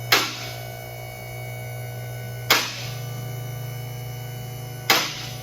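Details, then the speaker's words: Vehicle lift raising: steady low hydraulic motor drone with a sharp metallic lockout click about every two and a half seconds as each lock passes; normal lift operation. "Moving up a little higher, listen to the clicks."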